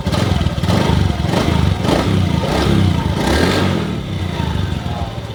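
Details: Honda Beat ESP 2019 scooter started after replacing the TPS sensor to cure hesitation off idle; engine pulls cleanly through a few blips and settles without stumble, throttle response normal.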